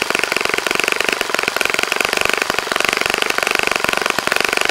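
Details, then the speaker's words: Saito FA-65 model four-stroke on its first run after rebuild, APC 12x6 prop, Morgan's Omega 10% fuel, Fox Miracle plug, heavily primed to start; high crisp buzz holding steady pitch at full throttle without sagging or sputtering; normal running. "okay John as you can see how so pretty nice running engine after a rebuild like that"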